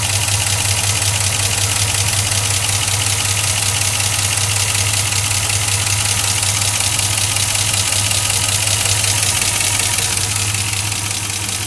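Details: 2004 Chevrolet Silverado 5.3L V8 with 59,000 miles, cold, oil already changed to 5W-30 Mobil 1 with an AC Delco filter: loud, fast, steady ticking at idle. An air leak is suspected up top. Engine ticking at idle, source unclear.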